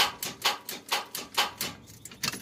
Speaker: 93 Chevrolet S10 4.3 automatic. Yep, starter went bad.